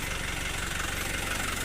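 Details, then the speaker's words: Toyota Dyna diesel won't shut off with key: steady idle keeps chugging evenly after key-off; vacuum to fuel shutoff doesn't reach fully so it pulls only halfway; stopped by pulling shutoff by hand or via three-way valve. "Karena memang vakumannya itu nggak nyampe ke sini, intinya sih begitu. Jadi dia itu narik tapi setengah-setengah g"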